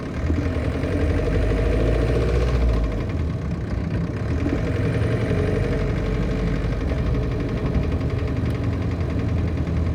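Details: 1968 Land Rover Series 2A petrol engine idling with a steady low rumble and a repetitive metallic knock; cause unknown.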